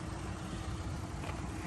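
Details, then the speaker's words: 3.2 L V6 with 130,000 miles, rebuilt salvage vehicle with new radiator and condenser, no dash lights: soft, low, steady idle hum with no ticks or knocks; runs very quietly. "motor runs very quiet is it it is a 3.2 L V6"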